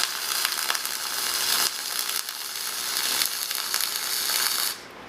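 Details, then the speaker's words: Millermatic MIG welder set up with .045 flux-core wire, test run before welding a vise pedestal: steady even frying crackle of the arc with no popping or sputter, cutting off cleanly; running well. "We're going to make some test runs with this thing and see how she does."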